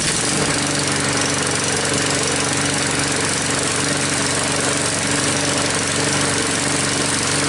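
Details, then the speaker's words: Troy-Bilt mower with a "Frankenstein" engine built from another engine's parts, just started after a head gasket replacement and still hard starting, running about five minutes: steady, even single-cylinder drone, no knock, miss or hunting; no leaks seen yet. "well the moor is running let it run for about 5-10 minutes they have about five minutes didn't see any leaks yet"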